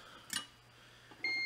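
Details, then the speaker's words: Soldering station with sensor in base: iron cools when the wand is set down and reheats on pickup, giving a clear steady high beep; normal operation. "hear that beeping sound is the soldering iron heating up every time that I pick up the the wand"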